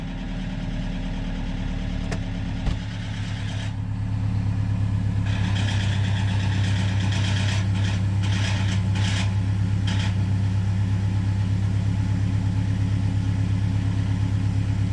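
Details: Used Toyota HiAce 200-series Super GL showing a low oil pressure warning from its first day: it settles into a deep, steady idle with a faint repeating tap about three a second. The dealer could not find the cause, so the engine was replaced new under warranty.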